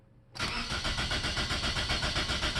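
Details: 2004 Toyota Corolla with a healthy battery and enough fuel: starter cranks at a steady, even rhythm with no firing or catch. It turns over but won't start; the fix was the EFI fuel management relay or fuse, which the owner suspects was hit by water.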